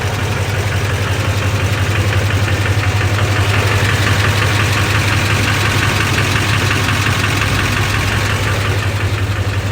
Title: lbz duramax engine knock